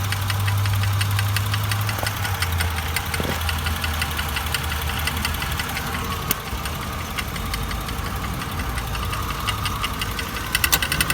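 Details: 1999 Honda Accord at idle: uneven, gritty knocking grind under the engine rumble; grinding noise, cause unknown.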